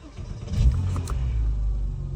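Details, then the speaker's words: Porsche 987 with a new Exide Premium EA770 battery (higher cranking amps): a short, brisk crank, then the engine fires straight away and runs evenly. Starter spins much quicker than the previous three-second crank. "yup you can hear the starting water able to turn a lot more quicker with the graded cranking amps that this battery has"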